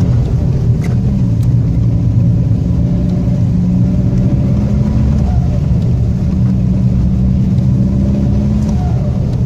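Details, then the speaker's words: Seat Toledo 1.9 TDI diesel with exhaust pipe rotted through and leaking: loud, raw low drone swelling with revs and falling back, rougher than stock, with a pop on lift-off; exhaust leak, owner plans to weld the pipe. "toks prikolas kad su prakiūrius dūle žiūriu mano siatas įgavo tokių sportinių garsų nežinau kažkaip reikia pamėgint parodyt žodžiu spaudi gazą ir kai atleidi toks poovą kaip suveikimas"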